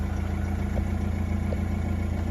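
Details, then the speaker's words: Nissan Navara NP300 diesel, being fixed for lack of power: after clearing fault codes, engine started and idles evenly with a steady low rumble and light uniform clatter, no stumble; a warning light still shows. "ได้สตาร์ทเครื่องดูครับว่าไฟเครื่องจะดับหรือไม่อ่าเครื่ดังปกตินะครับ"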